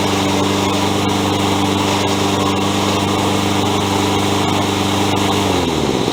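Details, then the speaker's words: Toro 20374 mower running: steady engine hum with sharp irregular clicks and grinding from worn plastic-gear rear drive wheels; fix is replacing with metal-gear wheels and pinion gears. "I hope you could hear that grinding in the video."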